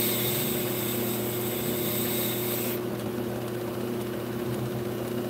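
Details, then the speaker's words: Brake rotor being turned on a lathe: a steady, even cutting hiss over the motor hum with no chatter, giving a smooth, consistent cut all the way across the rotor; a normal lathe cut. "and then you turn the other portion to a makes contact you hear that nice consistency right there"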